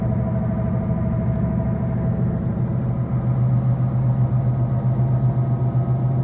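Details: 2013 Ford Focus with a bad left-front wheel bearing: a steady low droning hum under the cabin while cruising, constant road rumble rather than engine. The dealer replaced the bearing.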